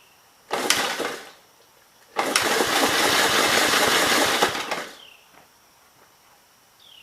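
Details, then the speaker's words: 1951 Gravely Model L, missing fuel bowl and air cleaner off, after flooding and a backfire; brief burst then a couple of seconds of fast even firing on the carb that fades out, fuel-starved; cranking stopped to avoid overheating the starter. "well definitely running off the carb there for a minute all right i better quit before i melt the starter"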